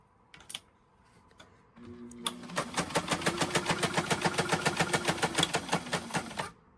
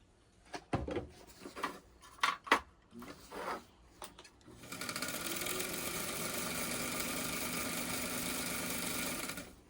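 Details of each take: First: White 1563 sewing machine that sat in a garage, before cleaning and oiling, set to zigzag: steady clack about three and a half per second, hard and uneven with a rough mechanism knock; may need major overhaul. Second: White 1563 sewing machine after cleaning and oiling, needle previously hitting plate; few clicks then steady even rapid stitching, slight knocking still present but less evident; normal running.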